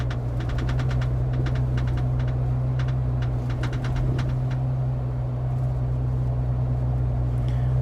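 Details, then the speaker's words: Jeep Wrangler Rubicon, about 21,000 miles, driving: loose, irregular clacking in bunches over the low road drone from the tailgate area; rattle from cracked spare tire carrier bracket. "going on everybody hear that annoying sound i was trying to figure this thing out for some time"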